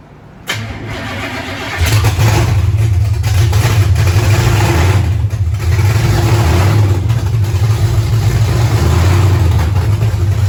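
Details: 1935 Chevrolet coupe with blown big-block V8, first start after carbs synchronized, timing set roughly to fire and fuel system pre-bled; short crank, catches at once into a deep, steady, even idle, no misses or knocks: normal start and idle.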